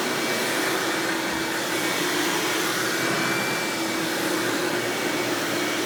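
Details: 1997 Hoover Dirt Finder Power Drive U6331-930 self-propelled upright vacuum running in floor mode: smooth, even high-pitched motor roar with steady airflow hiss, no rattles or speed wobble; exceptionally smooth and surprisingly quiet, normal running.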